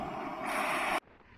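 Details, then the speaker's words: 1965 Ford 3000 tractor tyre: steady sharp hiss of escaping air for a second then stopping; air leaking through the rim and elsewhere. "you can see how bad this tire is you can see air leaking through the rim I can also hear it in other places so um definitely needs"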